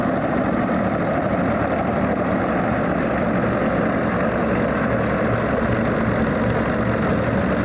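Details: Alvis Leonides Mk 25 radial engine in a Percival P.56 Provost trainer, just after start-up: deep, steady rumbling idle, even and unbroken with no knocks or misses, a settled and healthy normal idle.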